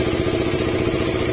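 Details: KTM Duke 200 single-cylinder road test after overheating from a cylinder head gasket letting coolant into the piston; steady, even idle with no misses, knocks or surging, sounds healthy. Normal idle.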